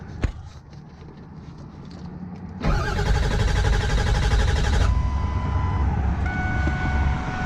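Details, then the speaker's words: Ford Powerstroke diesel pickup broken down roadside with over a quarter tank of fuel: the starter churns steadily for about two seconds and the engine never fires, leaving only dash chimes. Crank-no-start; owner suspects no fuel, and the wait-to-start light did not come on. "you heard her she said no fuel"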